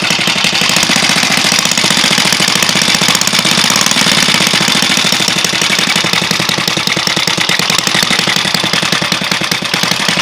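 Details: Alpha moped after new piston kit and cylinder head, timing marks set; idles and pulls normally but runs fast with rapid sharp metallic tapping over exhaust buzz; loud knock from engine, cause unknown.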